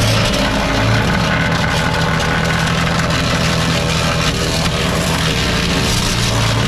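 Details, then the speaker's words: Dorite 7hp 4-inch capacity wood chipper bought at auction: steady even small-engine drone with rough chopping as a branch feeds in, no bogging or stalling; normal running. "And you can see how quick that was. Again, you don't want to put too much in here to clog it up. And you can see how nicely it broke it down."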